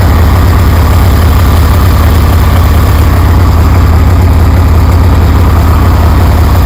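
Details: 1973 Harley Sportster with Keihin CV40 carburetor, after idle adjustment, low fuel: deep loping V-twin rumble, even beat about three pulses a second, no misses or stumbles; healthy steady idle.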